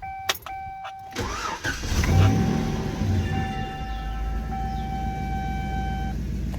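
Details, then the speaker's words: Federal Tahoe, cold start after tightening exhaust manifold bolts on the left side: cranks, catches and settles into smooth even idle with no ticking or puffing; manifold exhaust leak gone. "Oh yeah, way better. You can not even hear that leak anymore."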